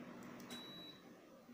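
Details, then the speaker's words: LG air conditioner that would not respond to the remote, after repair: one short high beep answers the remote command over a quiet room; the unit now receives and responds properly. "ini terdengar bunyi Beep Beep Beep Beep Beep Beep high itu menandakan asli kita sudah Prima Brother"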